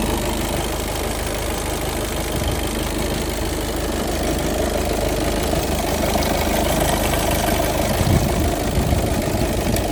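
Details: VW Golf 7 2.0-litre automatic: steady idle with an uneven light knock about three per second under the engine hum; flywheel suspected, cause unconfirmed.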